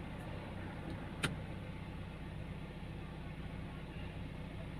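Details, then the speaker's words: 2005 Honda Jazz manual, engine still cold, AC switched off, idle staying around 1000 rpm; low, steady hum with no hunting or misses; normal idle. "mobil ini enak kupingnya enak gasnya enak halus rpm nya nggak naik turun ini mesin Masih dingin"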